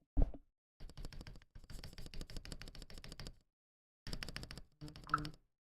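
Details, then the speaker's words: Akko ACR Pro 68 keyboard, freshly lubed switches, not yet tuned, no case dampening foam: fast bursts of clacky keystrokes with a hollow, chattery, rattly ring. "You can hear all that chatter. You can hear all that chatter, right? It sounds hollow. It sounds very chattery."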